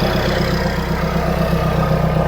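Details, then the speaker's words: Renault Kangoo 1.5 dCi diesel after an injector seal replacement: smooth, even idle with no sharp tac-tac injector clatter. The seal is not leaking; normal idle. "Il n'y a pas de bruit suspect, hein. Si ça fuyait, franchement, on l'entendrait, hein."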